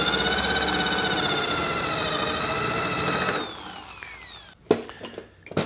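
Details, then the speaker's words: Drill with bit boring into wood: steady motor whine with uneven knocking, then hard thuds; bit striking an unseen nail buried in the wood. "Tinha um prego dentro dessa madeira, eu não tinha visto. Por isso que ele estava batendo e fazendo esse barulho."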